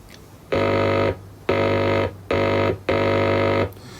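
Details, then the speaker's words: Late-1950s HMV C1-81 valve record player during repair, valves glowing: clean steady buzzing hum in short bursts through the speaker; normal grid hum, audio stage passing signal. "okay well that sounds promising so we should be able to get music through that if we're lucky"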